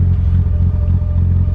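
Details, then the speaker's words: Imported Mitsubishi Evo, barely run, old fuel sitting in tank, no oil change in about 2 years: deep uneven idle, loudness wavering a few times a second; owner thinks it sounds lean or maybe rich, unsure; rough running. "See, it's running a little, I don't know, lean sounding or something."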